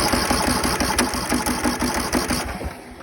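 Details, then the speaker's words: Husqvarna 42-inch mower, 18.5hp Briggs & Stratton, no-spark no-start, after cleaning dirty ignition coil and flywheel magnet: rapid slightly uneven chuffing catches briefly then fades; cranking and starting to fire, better than before. "hey we are better than we were before before i was barely getting anything"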